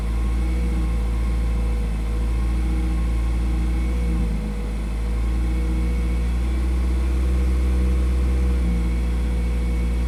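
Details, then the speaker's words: 2008 Nissan Versa with seized A/C compressor, belt off, exhaust pipe rusted off before the muffler: raspy loud open-exhaust idle, revved, with a sag and swell at steady throttle. Engine speed surge, cause unknown. "you know we rev it up a little bit right there there's a big one I'm holding the throttle steady"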